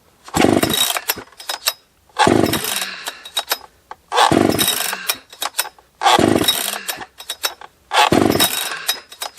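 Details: Husqvarna 281 chainsaw, after repair of crackling and breaking up at top end (suspected coil, plug or wire), cold after long storage: blipped to full revs every two seconds, picking up cleanly with no crackle; running healthy.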